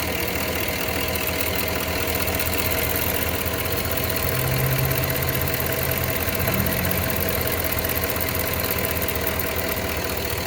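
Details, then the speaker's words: Cadillac Escalade Hybrid, Vortec 6.0 V8, at idle: steady idle with a fast, faint ticking about three or four a second, heard only from driver's side bank, coming and going; owner suspects injectors, cause unconfirmed. "those injectors or what? I hear them coming only from the driver's side bank. They like come and go."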